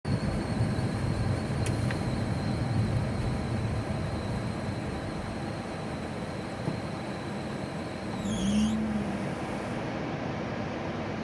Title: G35 belt squeal